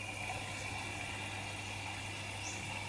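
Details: Electrolux EWF85743 washing machine after an attempted fix of an E52 error, door locked and cycle started: steady soft hiss of water rushing in over a low even hum, no clicks or alarms; normal water fill.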